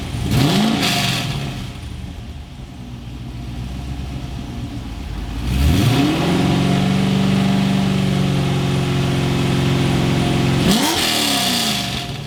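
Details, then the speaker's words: First startup of a 2004 Chevrolet Corvette Z06 V8 after installing Texas Speed headers and an X-pipe, mic on camera behind the car: crank, catch, sharp clean rev blips settling to a deep, steady lopey idle; healthy. "that sounded nice I love the sound of an x-pipe exhaust that is that is a very very pleasing very very smooth sound"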